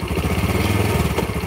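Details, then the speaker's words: Yamaha Jupiter Burhan motorcycle engine, hot, in gear with throttle blipped and released: loose irregular clatter with glok-glok clunk and slack on throttle changes; clutch damper rubbers found badly worn; clutch damper rubber clunk. "jadi kalau ditarik lepas itu glok, glok, glok. Itu di area kopling ini biasanya di masalah karet koplingnya trouble ini."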